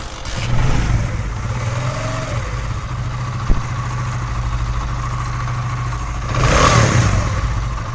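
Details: Motorcycle single-cylinder after repair; a mechanic had blamed a connecting-rod knock and said the engine was finished, but the noise was fixed without opening the engine: steady, even beat with one smooth rev rise near the end, no knock or tapping; healthy.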